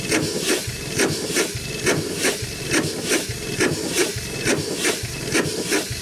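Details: 100+ year old Chicago Pneumatic steam engine/air compressor, first run in decades, compressor head off: steady chuffing about 69 strokes a minute with steam hissing between beats; runs well but packings leak and need adjusting.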